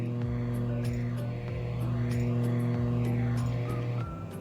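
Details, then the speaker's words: DOD FX7 guitar effects pedal on a non-original replacement power adapter: loud steady low buzz-hum; the noise is gone after the fix. "i guess it's the humming that's what they talking about like the the problem"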